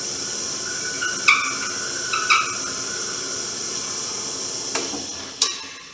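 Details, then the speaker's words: Porter Cable PCB660DP 15-inch floor drill press drilling end grain with 1/2-inch bit: steady high motor hiss with sharp squeaky chirps as bit enters the hole; binding because table is out of square. "so that's what it'll sound like when you're doing an operation like this and either your bit has too much run out or your tables not square"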